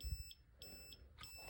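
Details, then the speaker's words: Kimi 3-wheel kids' electric scooter that won't run, brake switch already hardwired out: repeating high beeps, about one every half second, with no motor sound; continuous error beeping, owner suspects the control board. "So I got the multimeter hooked up here, and when I turn it on, it's just going to beep constantly, and it doesn't stop."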